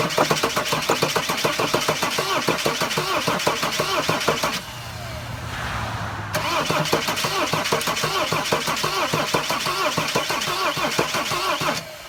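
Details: Mercedes Sprinter van, cranked with the mass airflow sensor disconnected and starting fluid sprayed into the intake; fast uneven cranking, about three pulses a second, never catches. Rough no-start; crankshaft position sensor suspected.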